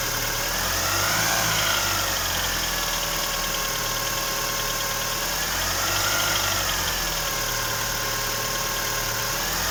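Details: Great Wall Hover H5 2.4 petrol: light, rapid ticking over the idle that quickens with each throttle blip, typical of noisy hydraulic lifters.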